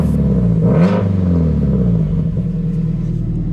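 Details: 2006 Subaru STI with Tomei Expreme Ti catback after refitting the exhaust clamp suspected of leaking; quick throttle blip rises cleanly and settles to a deep, even burble with no puffing or ticking, exhaust now sounds sealed; normal revving note.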